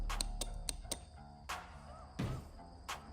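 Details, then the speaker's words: Bench mockup of 12-valve Cummins swap wiring: a momentary switch energizes a relay that feeds 12 V to the fuel shutoff solenoid's lift coil. In a quiet room, crisp single clicks follow each switch press as the relay pulls in cleanly. Normal relay click. "when that gets shorted out it completes the circuit in this relay and gives 12 Vol to the lift uh magnet in that solenoid and it will lift it up and then we've still got 12 volts you can crank again you'll hear the relay"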